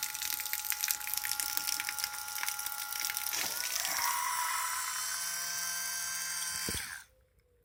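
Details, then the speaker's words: Portative shower pump after home repair, impeller that had fallen off refitted on its screw: thin, high steady whir with water hiss, then cuts off cleanly; now works well. "А так в домашніх умовах відремонтірую і вже працює вже файно."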